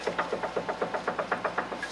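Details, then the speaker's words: 2011–2014 Hyundai Sonata, about 100,000 miles, front-end rattle over bumps: quick, even clunks as the sway bar is pulled down by hand, engine off, from a worn driver's-side front sway bar end link joint. "that play is coming from one of these joints on this sway bar end link so again you're gonna grab your sway bar like this and you're just going to pull down and there you really hear that noise"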